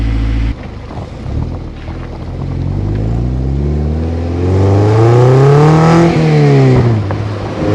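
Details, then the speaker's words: Toyota MR2 Spyder start just after PPE aftermarket exhaust install, car back on ground: catches, deep even idle, smooth long rev and return, clean throaty note — normal start and rev. "So the car is all done and it's on the ground. So I'm going to give it a fast start and see how it sounds like."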